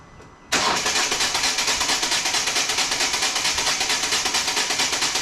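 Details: 2014 Volvo V40 D2 1.6 diesel (D4162T) whose stripped timing belt damaged the cylinder head: starter engages and the engine half-catches into uneven chuffing, about two beats a second, then dies. Cranks but will not start; the cause is unresolved.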